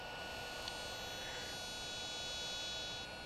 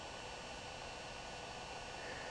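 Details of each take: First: DJI Phantom 2 Vision camera pitch gimbal with the original servo, idling: thin, steady high-pitched whine that never settles, a common fault, and slow compared with the quiet replacement Hi-Tech HS-5055MG digital servo. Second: DJI Phantom 2 Vision camera pitch gimbal after replacing the OEM servo with a Hitec HS-5055MG digital servo: soft steady hiss with faint high whine from the camera transmitter fan, no typical servo whine, quiet normal operation.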